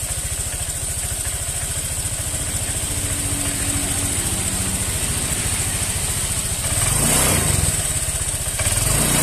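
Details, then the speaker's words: Honda Vario scooter: idles, then stumbles and sputters unevenly on throttle blips, with hesitation and delay on initial pull; causes listed include weak fuel pump pressure, spark plug or cap, TPS or CKP socket; not yet pinpointed. "Nah ini ya dia untuk tarikan awal dia itu sedikit agak berebet teman-teman agak delai nih"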